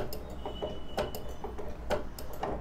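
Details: Sewing machine needle repeatedly sticking and breaking because the shuttle is set incorrectly; light uneven clicks and taps about twice a second with a faint snag each cycle as the needle catches the misaligned shuttle.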